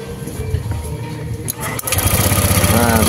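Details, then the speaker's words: Honda Vario 150 scooter that died with no ignition, running on a substitute ignition coil: starter whirr, then catches and settles into steady even idle, no misfire; original coil (primary resistance 2.2 vs 2.7) likely weak. "masih menyala Masih normal menggunakan koil yang ini ya"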